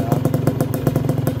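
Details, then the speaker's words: Honda NSR150R two-stroke on Enviro oil, still smoking: crisp, even pipe popping at about eight beats a second, steady and unbroken, a healthy idle. "Kalau masih coba nyalakan, nah, masih bunyi nguik, masih normal ya RC palemnya."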